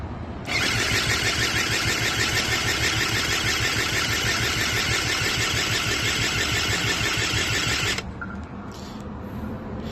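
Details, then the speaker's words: Eaton Beamer III scooter during rebuild: steady fast whirring crank for seven seconds, never catching; owner suspects the ignition coil cord and connector, a poor ground and the spark plug, all to be replaced or cleaned. "so you know what I had this feeling if it doesn't start it's probably because of this part here"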